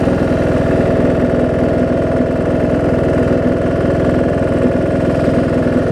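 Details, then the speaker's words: John Deere D110 mower engine test-running after a full rebuild with a new head gasket, done after a detached flywheel magnet was found: steady, even mid-pitched putter at constant speed, no knocks or misses. Possible valve-cover oil leak, maybe just burn-off. Normal running. "seems to run good oh so good"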